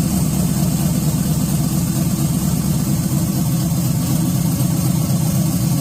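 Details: 1986 Chevy Caprice with swapped 5.3 V8, cam and 4L60E, started on a 60 tune, power steering lines unhooked, belt too short; deep, uneven loping idle, steady heavy exhaust rumble, no knocks: normal cammed idle.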